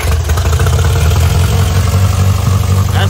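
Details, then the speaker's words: Austin Healey Sprite after replacing the starter, generator and regulator and rebuilding the carbs: even, low burbling idle with steady firing pulses, no knocks, misses or hunting; engine sounds healthy. "nice now that the starter is working again and the generator is rebuilt"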